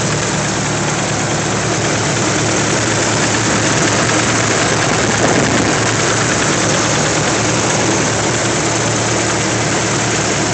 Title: Ticking sounds sr20det